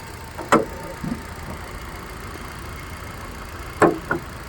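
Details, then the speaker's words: Used car on a pre-purchase check in Chennai, idling: quiet, even idle with a steady low hum and no knocks or misses apart from a few stray clicks, running so smoothly it is barely noticeable. Normal idle. "வண்டி ஓடுறதே தெரில, வண்டி அவ்வளோ ஸ்மூத்தாக ஓடிட்டுருக்கு."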